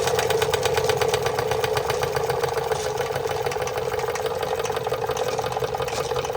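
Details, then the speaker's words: Märklin 16051 twin-cylinder toy steam engine, not run for a few weeks, boiler topped up: quick, even chuffing over a steady hiss with no knocks or hesitation, running at almost no pressure; normal running. "Lovely. Look, runs on no pressure."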